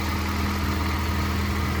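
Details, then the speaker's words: Honda Civic Si (9th gen) after swapping its blown K24Z7 for a junkyard K24Z3, first startup on the old tune; slight smoke, likely from an oily downpipe. Started right up, hesitated briefly, then smooth even idle with no knocks, misses or ticks. Normal idle. "started right up. Hesitated a little bit in the beginning, but other than that, everything sounds good."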